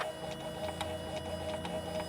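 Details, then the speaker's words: 2004-2009 second-generation Toyota Prius under the hood: faint bubbling, fish-tank-like whir with a steady tone and light ticking from the failing inverter coolant pump, heard right before it throws a code (P0A90 or P0A93, owner thinks). "it's starting to cavitate and the pump is just not able to do its thing maybe not cavitates the word but it's um kind of like a very similar to like a fish tank filter that very specific sound that it is making it will make right before it throws the code"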